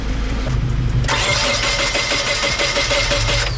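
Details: Nissan 240SX (S13), first start attempt, battery jumped and confirmed at 12 volts: uneven starter churning kicks in after a second and keeps spinning without the engine ever catching; cranks but won't start, cause not found.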